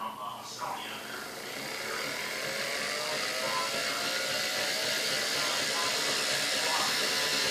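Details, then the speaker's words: Restored early-to-mid-1930s Hamilton Beach Model C mixer on speed one, lowest power: thin whine slowly winding up then holding steady; runs incredibly well for its age. "so Singh runs incredibly well I cannot believe how good this thing runs considered the age of this machine"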